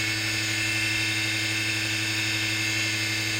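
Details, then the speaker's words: Sid's original Ice Skate Sharpener, 60 Hz motor probably built 1986, pulley ratio about 3.6:1, running with belt: steady high-pitched raspy hum, rough edge; motor bearing suspected, not confirmed. "I should do is I should really run this uh should really run it without the belt so I separate the variables just run the motor without the belt to see if it's the bearing in that"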